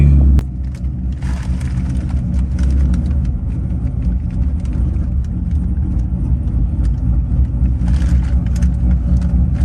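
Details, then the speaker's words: Corvette LS7 after a second cam and new lifters replaced failed cheap eBay lifters: deep, steady rumble after start-up, settling into an even idle without ticking or stumbling, no throttle applied; normal idle. "Idling on its own. I'm not pressing the gas yet."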